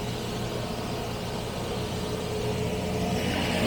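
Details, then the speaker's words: Carbureted 1975 Jaguar XJ12 V12, started on max choke with the choke then backed off one step: mostly steady idle with a faint uneven lope, about four beats a second; owner thinks it is down just one cylinder, a big improvement over running on about three. "But I think we're down just one cylinder. So that's really really an improvement."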